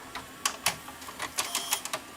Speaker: there we go no more eating tape that was all that's wrong with this machine